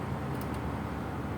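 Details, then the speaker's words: Outdoor unit fan of an AC that was not cooling, now spinning after power restored (capacitor suspected failed); steady even whoosh, no rattle; compressor still hot/overloaded, not yet running. Normal fan operation. "nah ternyata fannya udah muter ya teman-teman ya"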